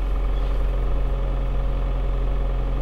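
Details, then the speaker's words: 2007 Toyota Avensis 2.0 petrol automatic, 226,000 km, cold idle after replacing the timing-side engine mount: smooth, steady low hum with no roar or droning vibration as before; normal. "того рёва который был нету там было аж гу даже на холодную передачу если включить нету ничего"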